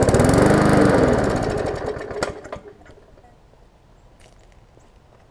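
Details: Murray 3.5hp Classic push mower, bail switch zip-tied on for testing, fires and runs roughly on carb spray, then fades and dies within three seconds; carburetor isn't feeding fuel, fuel starvation, needs extensive service.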